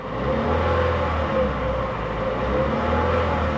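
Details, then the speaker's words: 2012 Chevy Cruze Eco given a gentle rev in gear to check the earlier tapping: the small petrol engine has quieted down and revs evenly with a steady hum, no ticking or tapping. "the engine sounds like it quieted down"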